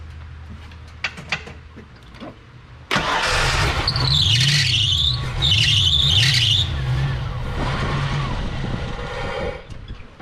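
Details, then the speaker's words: Ford Fox body with the stock throttle body, after a missing spark plug was refitted: it cranks, catches, runs unevenly for several seconds, then sags and dies. Idle speed set too low. "okay so as i suspected this thing is not going to idle so this has a stock throttle body on it that's going to be a 10 millimeter let me go grab that and let's crank the throttle screw down on this so we can idle this car back up"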